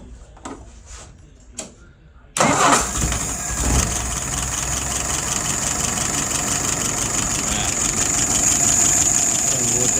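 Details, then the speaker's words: WO 636SA carburetor after its second rebuild: a quick crank catches at once and settles into a smooth idle of about 675 rpm, with fuel pressure about 2.5 and vacuum 23, all looking good. "Look at some numbers. Idle RPM. Up there, about 675. Looking good."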